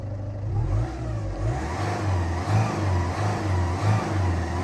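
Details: Ford Fiesta diesel, warmed to temperature after standing, smoke gone: steady idle then a quick throttle blip that climbs and settles cleanly with no knocks, misses or rattles; a separate idle-only noise is suspected timing tensioner or idler.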